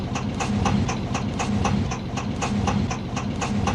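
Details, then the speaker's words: Zhiguli (Lada) petrol engine idling: sharp, steady metallic ticking about four times a second, valve tapping from excessive valve clearance; the ticking only speeds up with throttle, unlike hydraulic lifter noise. "На нём очень хорошо слышно, как гремят клапана."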